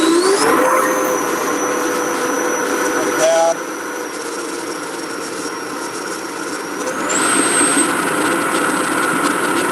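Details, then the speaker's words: 80mm EDF fan (Xfly or FMS Pro 2100kv) on a 65C 6000mAh pack, first full-throttle run, about 112–116 amps peak: spools to a steady high whine, holds pitch, then climbs higher; clean, healthy full-throttle run. "that was like the first time that fans ever seen full throttle"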